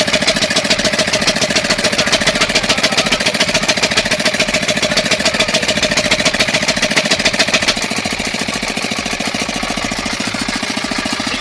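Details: 5 hp single-cylinder diesel pump engine after tappet clearance setting: steady, even, rapid diesel clatter holding one speed throughout; healthy normal running.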